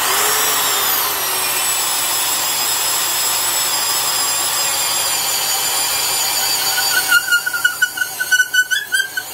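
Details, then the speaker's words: Black & Decker Professional 1309 half-inch drill, 4.5-amp motor, about 600 RPM, boring with a 1-inch auger bit: motor whine drops in pitch then turns choppy; drill motor bogging under load. "And you can hear it bogging down almost as much."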